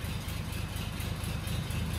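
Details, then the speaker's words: Daimler limousine petrol engine, first run in 32 years since 1990, idling in the garage: low idle, mostly steady but with a faint chug in the rhythm; slightly rough, though overall running decently, cause not stated. "no, it's chugging a little bit now, but... overall, it's running really decent."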